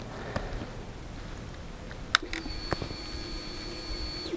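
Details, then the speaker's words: Harley-Davidson XL883C Sportster at key-on, after the immobiliser bleep, on a warm day: faint click then a quiet steady high hum for about two seconds that cuts off; normal fuel pump priming. "I don't know if you heard that then. That's a fuel pump starting up."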